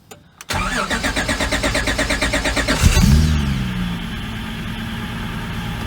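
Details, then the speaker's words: J-series V6 swapped NA Miata, aftermarket ECU needing extended crank to sync crank position: steady cranking over two seconds, then fires cleanly to even idle with good oil pressure; cold idle air control valve sucking noise; long crank then normal start. "Starts up just fine. Got some good oil pressure."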